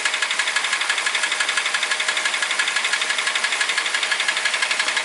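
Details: Toyota Ractis 1.3 2SZ-FE, 6 years, 100,000 km, oil changed every 7-8k km, uses 500-800 g oil between changes: sharp, very even tapping about three times a second; chain, tensioner and guides replaced without effect; engine knock, source unknown.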